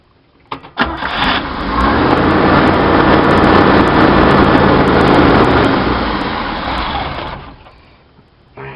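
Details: 1966 Chevy van 230 straight six, Weber 32/36 2bbl on stock 1bbl manifold via adapter, chokes open: starts and holds a loud fast idle for seconds before shutdown; high revs likely from a vacuum leak at extra adapter gaskets, unconfirmed.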